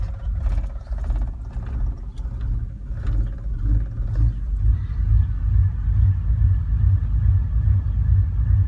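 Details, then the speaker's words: 1989 Chevrolet Silverado, fully warmed up, at barely-open throttle: uneven, lumpy rumble with shaking that wants to stall, smoothing out at higher rpm; it also hesitates pulling away from a stop. Owner suspects the EGR valve, not yet changed. "But if I rev it at a higher RPM, it's fine. It's just at that certain point, just barely giving it gas."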